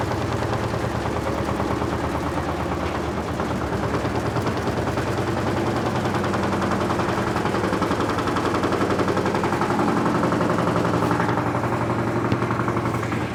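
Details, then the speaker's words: LT13B washing machine on a spin suspension test: hard, rapid clattering bangs about twice a second throughout the spin as the drum knocks the cabinet; annoying suspension noise. "É muito chato esse barulho da suspensão. Muito chato."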